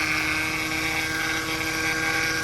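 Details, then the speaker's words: Vibrating whine over the idle of a 2008 Mercedes C300 after topping up power steering fluid for stiff steering; the power steering pump is suspected, possibly also its pulley bearing. "So, I will I will probably replace that because that will probably most be the culprit. It's causing that vibrating running noise."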